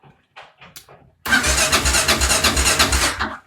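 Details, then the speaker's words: Kawasaki KLR650 Tengai after a prolonged stop, its fuel tap closed so the carb bowl fuel evaporated: the starter churns about three times a second with the choke on but never fires. Cranks but won't start, fuel starvation. "mais voilà vous connaissez tous le bruit de la moto qui tourne avec starter mais qui démarre toujours pas n'est ce pas"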